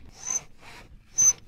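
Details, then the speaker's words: Subaru STi seat belt: short shrill squeaks each time the webbing is pulled out. "the very first thing is the seat belt squeak when you pull on the seat belts it squeaks let me show"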